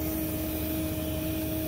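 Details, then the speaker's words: Homemade 12V RV waste water pump powered by jumper cables, pumping camper waste into a portable tank; even motor hum with steady mid-pitched whine under load, has thermal overheat shutoff; normal running. "so works pretty well and if that pump overheats shuts off on its own"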